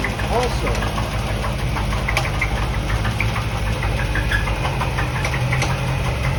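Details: 1988 Corvette at idle, heard from the rear and around the engine bay: heavy idle with a dull knock keeping pace with engine speed, plus a squeak; exhaust shows no miss, owner thinks it is on one side; engine knock at idle.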